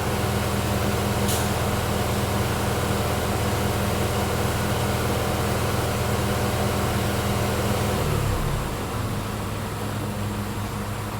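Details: 2020 Mazda CX-5 AWD, 2.5L 6AT, after torque converter replacement and transmission flush for a 3rd-4th shift chirp, during transmission initial learning in M1: steady even hum at raised idle for eight seconds, then settling slightly lower; normal idle.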